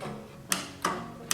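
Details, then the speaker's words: Old scrapyard Dynamark riding tractor with opposed-twin engine, not seized, newly fitted battery: three sharp single clicks from the starter solenoid with no cranking; battery cable supplies power to the solenoid. "I can hear the solenoid clicking"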